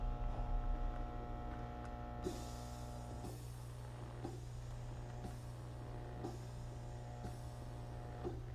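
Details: Trumedic Symphony massage chair: steady low electrical buzz with soft knocks about once a second; abnormal buzzing, cause unknown.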